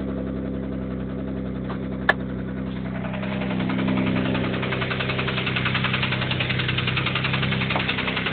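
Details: 1991 Mitsubishi 3000GT VR4: steady idle with rapid deep knock, three to four per second; started suddenly, no metal flakes in oil, no oil pressure problems; owner suspects spun rod bearing.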